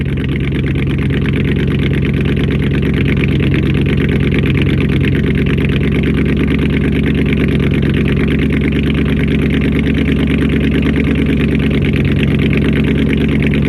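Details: First start-up after a week down due to a bad alternator, a faulty Amazon unit whose pulley bearings were believed bad and screamed: even, low idle rumble with no squeal or chirp from the belt side; it idles normally.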